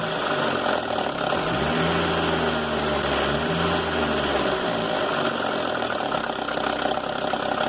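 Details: Mercedes A160 at idle: a fast, uneven metallic rattle over the engine that persists through a small rev change. Timing chain noise from a clogged chain tensioner losing its thread in the cylinder head; the car also has clutch slip, apparently from a wrong or reconditioned disc.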